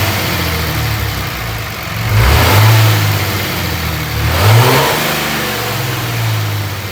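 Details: Dodge Ram 2500 with third-gen 5.9 24V Cummins diesel, before removing the turbo silencer ring, free-revving: deep idle swells smoothly on two quick blips and drops cleanly back each time; even exhaust note, healthy.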